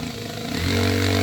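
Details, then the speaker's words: Drill in hammer-drill mode for concrete: motor rises to a steady fast buzzing hum with even impact rattle from the back-and-forth hammer action; normal hammer-drill operation. "Jadi dia maju mundur, jadi maluin si beton itu dengan kecepatan tinggi tentunya ya."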